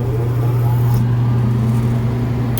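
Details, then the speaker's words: Exhaust fan after replacing its motor (old bearings going bad), drawing 8.5 A; steady even low hum, whisper-quiet, no knocks or squeals: normal fan operation. "and quiet 8.5 amps it's whisper-quiet - I love it"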